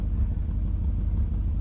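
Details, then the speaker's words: 1998 BMW 740i (E38) after fuel pump replacement, fuel pressure at 40 psi, O2 sensors removed so exhaust is open: deep loud rumble rises smoothly when revved with no stumble; fuel delivery healthy, problem fixed. "I'm right at 40 psi, and watch what happens when I give it gas. And listen to the engine. She doesn't stumble."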